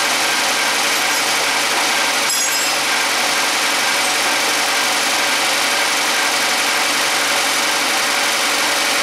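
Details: Suzuki G16B 16-valve (Geo Tracker) engine, 133,000 on the clock, after valve lash adjustment: steady even idle, no ticking or tapping, no stumble; valvetrain quiet and healthy.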